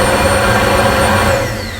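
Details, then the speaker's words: 2008 Buick Lucerne 3.8 with P0412 code, secondary air injection pump commanded on via scan tool active test: steady vacuum-cleaner-like whooshing hum then easing off; pump works normally. "We got the air injection pump. So this should turn on just the pump. I'll turn that on. It should sound like a vacuum cleaner."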